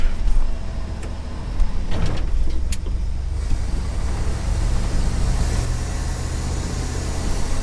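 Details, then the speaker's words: 1974 Ford F100 restored from abandonment, driving after finding it was stuck in four-low and shifting to four-high: a deep, steady V8 drone with no knocks or grinding, running much better. "well i figured it out and i feel like an idiot it was in four low the whole time so i just put it in four high and we'll see how it does"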